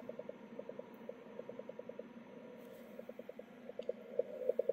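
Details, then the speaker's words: 10 GHz beacon transmitter, keyed signal heard on receiver in shack before key-click fix (330 µF capacitor not yet in keyed amplifier supply); hard clicks on make and break of each keyed tone; strong transmitter key clicks. "you see there's still some very strong key clicks you might have heard the single click there on make when it started the 10-second carrier"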